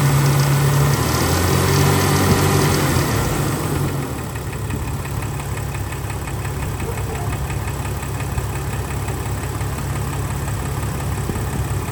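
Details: 2000 Jeep Cherokee XJ 4.0 warm idle after about 20 minutes of running: steady hollow knock about three a second, suspected piston slap that normally fades when warm but persisted this time.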